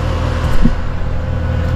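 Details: About three-year-old HVAC condenser after replacing a bad capacitor, running at 129 suction, 234 head, 15° superheat: steady low hum of compressor and fan, even with no rattles or buzzing; running normally.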